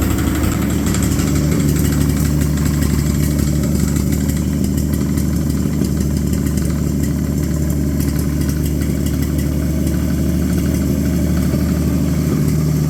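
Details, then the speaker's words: Abandoned Chevy 216 inline-six from a 1950 Chevy 1-ton truck, run on used filtered oil through a couple of heat cycles: chuffy, uneven idle with a skipping miss and a dull low knock. Misfire plus bottom-end noise, pointing to bottom-end wear. "yesterday I ran this thing through a couple of heat cycles and it's h quite uh chuffy and uh it's got a miss and a bottom end noise that uh doesn't sound too good"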